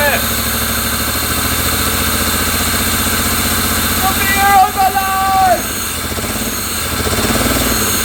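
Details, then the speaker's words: Abandoned 1980s Pontiac Fiero lowrider, first start after years sitting, timing and plug wires just corrected, 80 psi oil pressure: uneven lumpy idle with a stumble every few beats; misfire, cause still unknown. "so we need a fuel pump a clutch a slave cylinder i think that's about it to drive this thing and then figure out what the misfire is"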